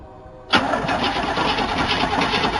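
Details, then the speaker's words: 1977 Chevy C10 Custom Deluxe truck, first start after sitting for years: half-second pause, then catches at once into loud, steady, even idle with open exhaust; fired up surprisingly easily, sounds healthy. "what i'm so surprised how easy that fired up after sitting for that long"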